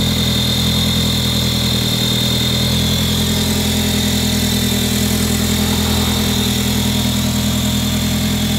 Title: A3 cold start crazy screeching noise from engine